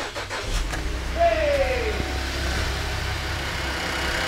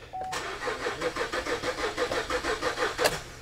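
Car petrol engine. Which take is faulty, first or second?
second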